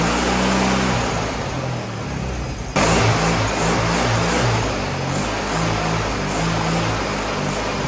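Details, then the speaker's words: Freshly rebuilt VW 1641cc dual-port air-cooled flat-four on the floor, first start, blipping throttle: picks up cleanly and settles smoothly, no ticks, taps, knocks or smoke; new pistons, rings, reconditioned head, redone carburetor; fuel pump bad. "okay so the engine runs great no ticks no taps no knocks no smoke didn't blow smoke nothing"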